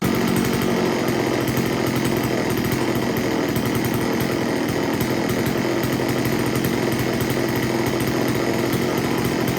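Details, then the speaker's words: STIHL Wood Boss 024 AV chainsaw, flooded with wet plug: held at high revs with steady, clean buzz, no misfire or surging; tune near spot on, running just slightly rich. "okay well i talked to the customer and explained to him that i got the saw to start right up and the tune was pretty much spot on it was running just a tad bit a little rich nothing too crazy"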